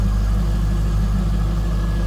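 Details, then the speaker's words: 2003 Chevrolet Corvette 50th Anniversary convertible, LS1 5.7 L V8, apparently Corsa exhaust, heard from the rear. Deep, even rumble with no knocks, ticks or misses: a smooth, healthy idle. "This has a nice throaty exhaust note. Listen to this. Appears to be Corsa exhaust on there."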